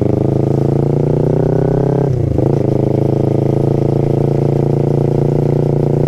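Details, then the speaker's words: Kawasaki Ninja 250 FI after chain and sprocket gearset replacement: steady, even exhaust note with a brief dip, former rasping chain noise completely gone, only exhaust heard; quiet chain drive. "Jadi suara si gearset yang sebelumnya berkolaborasi dengan suara knalpot berisik banget, srek. Nah sekarang udah bener-bener hilang."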